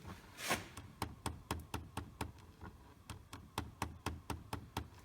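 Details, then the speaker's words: 2010 Chevy Equinox with the key off: sharp, repeated clicking from under the dash caused by a failed hot/cold blend door actuator, which was then replaced. "okay this is a is is an actuator that has gone bad in this particular vehicle"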